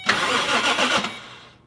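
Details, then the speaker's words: Car in neutral with rear end raised, power applied by Power Probe 3 to the starter wire: a brief, brisk whirring crank of about a second spins the engine over evenly; the starter works. "And if I apply power, it should turn it. That's pretty awesome. This thing was able to turn the engine."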